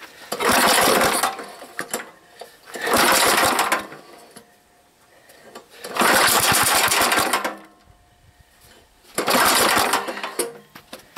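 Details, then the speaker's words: Old 3,000 W gas generator, long unused, varnished fuel drained, fed only by gas funneled into the carburetor as the old fuel line won't reach: fires a second or so then fades and quits four times; owner thinks probably not enough gas, needs new fuel line. "I probably don't have enough gas in I gotta get a new fuel line I was hoping to get this running today"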